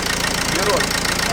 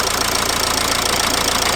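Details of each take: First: Dacia Logan idling after compressor clutch replacement: steady, even idle with no squeal or chirp from the belt side; front accessory drive quiet, though alternator still suspected of noise. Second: Dacia Logan at idle and on acceleration, owner suspected gearbox: steady idle with rapid even chatter and hiss following engine speed, heard near the accessory drive; not the gearbox but a worn accessory belt pulley, belt to be removed to check pulleys.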